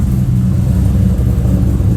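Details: Holden VT Clubsport V8 after a new exhaust is fitted: revved, giving a deep, even, throaty rumble with no rattles or misses; much louder than the previously quiet exhaust, healthy.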